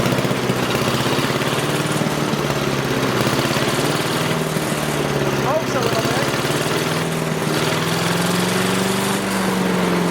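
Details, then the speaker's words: Craftsman 5 hp wood chipper, sat three years: steady rapid single-cylinder putter at even speed, slight rise near the end; running smoothly though very smoky. "Oh, that was good. I like that. Very cool. Very smoky though."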